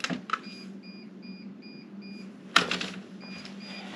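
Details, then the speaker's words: Greenworks 80V 20-inch brushless cordless snow blower restarted after about 17–18 minutes of snow blowing: high, thin beeps repeating two or three a second in short runs, with the battery-cold icon lit; one battery was found completely dead. "I came back to to turn the snow blower back on and I get this beeping noise."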